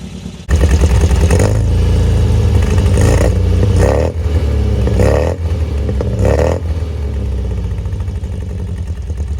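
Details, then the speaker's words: 1974 MGB with a freshly rebuilt engine, fully warm, good oil pressure, idle slightly high. It picks up cleanly on several throttle blips and settles back to a smooth, even idle with no knocks or misfires: normal running and revving. "but this thing is running smooth as can be now a little bit high i'll probably uh lower the idle just a tad but obviously there's still going to be kinks to work out sounded perfect"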